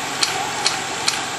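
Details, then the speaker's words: Beta-type Stirling engine on test run after damage and repair: sharp light clacks about twice a second in time with rotation as it speeds up; something knocking inside, cause unclear. "error sounds like it's speeding up doesn't it yeah I can hear that thing scar they're clacking that's not good"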